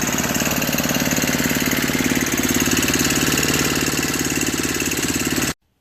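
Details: Brute 24-inch snow blower, 5 HP Tecumseh single-cylinder, after carburetor clean, new fuel line and filter, governor and throttle adjusted (was bogging under load, stalling): steady, even rapid popping beat at constant speed until shut off; normal running.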